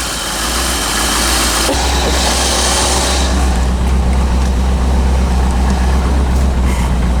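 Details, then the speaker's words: 1985 Chevrolet Corvette C4 after fixing a poor negative battery cable connection that caused no power: deep, steady idle rumble, even beat, no knocks, misses or surging; battery charging, oil pressure and rpm good. "batteries charging oil pressures good RPM's are good unbelievable"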